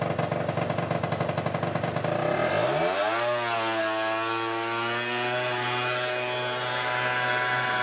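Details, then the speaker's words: Peugeot Speedfight 50cc two-stroke scooter after a full fix from non-runner (carb, jets, variator, rollers, exhaust): a crackling steady idle, then clean revs to an even high buzz with no misfire or bogging; it runs properly. "um looking pristine like it should have been like it might be that patchy but look at that that is that's good doesn't touch the throttle anymore"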